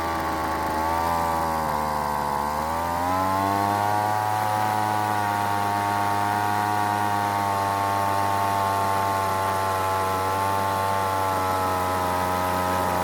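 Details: Weed Eater two-stroke leaf blower after long storage, died off choke, L and H screws turned richer: steady pitch that barely rises when throttled, poor throttle response; lean high-speed mixture needing more fuel from the H screw.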